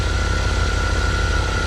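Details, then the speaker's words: 1985 Camaro IROC idling after replacing a faulty remanufactured alternator with bad bearing, now with correct lower bracket and boot: steady even low rumble, faint constant whine, no knocks or misses; charging about 13–14.27 volts, normal. "now we got a boot so it's all safe it's purring nicely and let's go check the gauge on the dash see what that says"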